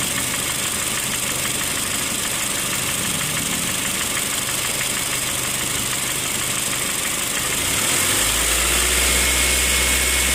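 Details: 2008 Honda Fit Sport manual, idling with a steady light knock about three times a second beneath the running noise.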